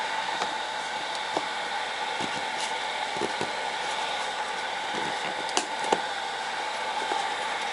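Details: TABODD 12V 5kW diesel air heater in a camper, running as secondary heat with the vent open and hot air around 120 degrees: steady fan whoosh, faint even hum and a few light clicks; normal running.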